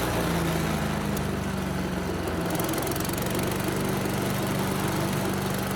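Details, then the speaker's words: Salvaged Yard Machines chipper with Tecumseh engine, still with some water in the oil. Starts first pull; loud, steady drone firing evenly without surging or misfires, running well at high and low speed. "that thing's loud but it's running well now so no problem started first pull runs at high speed and low speed"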